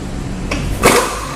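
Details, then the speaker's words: Land Rover, about 150,000 miles, with a suspension conversion kit, on the lift: a light knock, then a sharp metallic clunk as the steering linkage is wiggled, from worn outer tie rod ends needing replacement. "And you can hear a clunk. Plus, we can hear a clunk. Right. That tells you the outer tie rod ends on this vehicle are wore out and need to be replaced."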